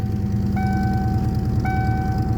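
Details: 1998 Ford Mustang GT at idle, before replacing the idle air control valve: steady idle with a thin whistle near 750 Hz cutting in and out over the engine pulse; vacuum leak from the uncapped EGR port.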